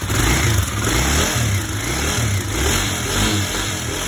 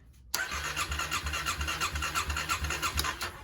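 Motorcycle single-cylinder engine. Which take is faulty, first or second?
second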